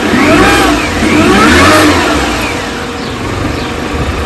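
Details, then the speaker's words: 2005 R53 Mini Cooper S after supercharger service, new gaskets and earlier timing chain replacement: engine revs and falls back with an odd noise on lift-off; noise persists, previously with lack of power, cause unknown. "the noise is still there [Music] quite clearly here it's still making that uh making that noise so uh I'm not quite sure what that is"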